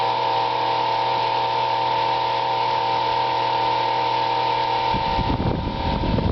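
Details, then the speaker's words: Unrestored vintage Eskimo table fan, 6-8 in blade, no power switch, never oiled; steady motor hum with loud rough drone and rattling scrapes as blades turn; dry bearings need oil. "this one's pretty noisy I need to oil it yet haven't done a single thing to it"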